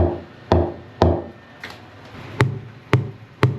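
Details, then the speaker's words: Ball peen hammer tap test on stringers of a 58-foot Viking sportfish, still in the water during winter rebuild, compared against a new solid bulkhead: first taps flat and dead, later ones crisp and ringing; the dull thud means rotten stringer wood. "If you hear that, that's no good. No good at all."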